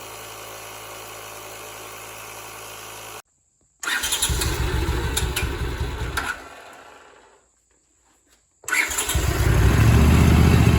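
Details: Barn-find Honda SilverWing GL500 twin, sat for decades, revived with new key and valve stem: cranks, fires, brief stumble and restart, then settles into an even, steady low thrum; sounds healthy.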